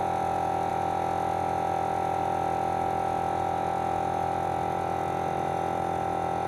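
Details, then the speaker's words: Forward FW 361+ hot plate separation machine, after repair: the vacuum pump runs with a steady, even hum and a strong high tone, with no rattle or knocking. "so as you can see the the difference in decibels was about six to eight decibels with suction created on the top versus no suction created"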